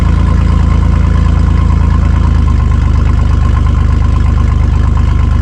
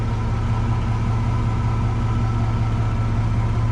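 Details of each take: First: Chevy S10 mini truck, exhaust cut open between catalytic converter and muffler (only Y-pipe and cat connected), awaiting welding at a shop: loud, blatty unmuffled idle with deep even pulses, recorded early morning beside the truck. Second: Lowered Chevy S10 idling after the rear brakes were replaced and the exhaust fixed: a steady, deep, even rumble with no ticks, knocks or leaks. Exhaust sealed, engine sounds healthy.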